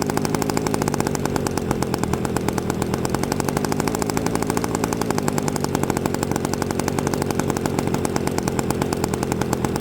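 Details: Byron Christen Eagle RC model plane with Quadra 50 gas engine, first startup after 25+ years sitting, fired with a starter while the motor is still tight; fast, even crackling firing at steady speed, no misses or knocks: running cleanly.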